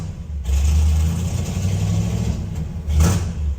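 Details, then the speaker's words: 1968 Ford F-250 with a rebuilt, built-up 390 V8, run cold on the choke after sitting over a year and a half. It surges and sags as the throttle is feathered and nearly stalls off the gas. It won't idle unassisted. "I'm trying to see if it'll idle without me having to feather it I'm still on the gas ever so slightly"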